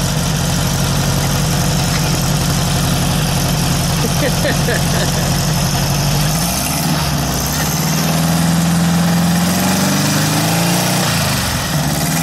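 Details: VW air-cooled engine with Weber progressive carburetor, sat a while, fired right up after earlier trouble firing a couple cylinders at idle; steady even idle, smooth rise in revs settling back without stumbling, running properly.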